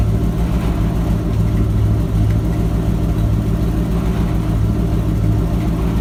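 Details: Ford F-250 with 7.5L 460 big-block V8, started after replacing the failed starter bypass solenoid and reconnecting the battery: smooth, even, low-pitched run with a steady beat and no clicks or stumbles; normal running.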